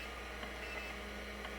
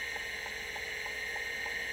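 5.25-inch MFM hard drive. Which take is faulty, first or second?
first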